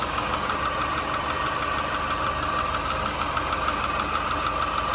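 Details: R53 MINI Cooper engine at idle with light metallic ticking, roughly three per second, steady over a smooth idle; top-end tick, source unknown.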